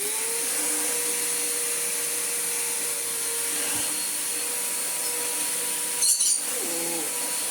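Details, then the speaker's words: Vax Power Nano UCNBAWP1 upright vacuum after fitting the brush-roll belt, cleaning and reassembly: steady high-pitched motor whine with even airflow and no flapping or grinding; normal running after repair. "and with the belt fitted everything cleaned up and back together let's see how much better this thing works"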